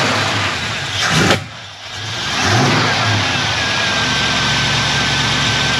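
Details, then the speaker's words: 1989 Grand Wagoneer 360 V8 with new 1-inch carb spacer, fuel pressure 6–7 psi: brief crank, clean catch, blip, then steady even idle without misses or knocks; starts better than before; normal start-up and idle. "well I don't know if it actually hurt or helped but um it cranked up better that's a good sign"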